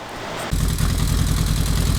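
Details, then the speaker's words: 1995 Kawasaki KZ1000P ex-police bike, fully rebuilt, CV carbs cleaned, no choke: steady, even idle with a regular low pulse and no hunting; idle fine, though revs hang after throttle blips. "okay guys so you can hear it's running this is just idle there is no choke so it seems to be fine"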